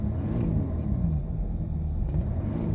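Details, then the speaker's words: Jaguar XJ X350 Sovereign diesel, freshly changed oil: deep, smooth rumble that swells evenly when revved, no knocks or rattles, only a faint loose-trim vibration; engine sounds healthy. "you can hear it sounds pretty sweet it's just I've just done oil so it sounds better than what it did"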